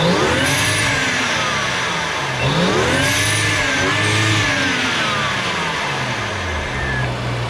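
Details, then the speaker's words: 2014 BMW X5 335xi (N55 turbo), fully warm, after a cheap cold air intake and exhaust mod; smooth blips up and back down with a faint high whistle rising on each rev, the turbo spool now audible. Normal revving. "Well, you can definitely hear the turbo spool. It's a lot better, but I'll see what I can do."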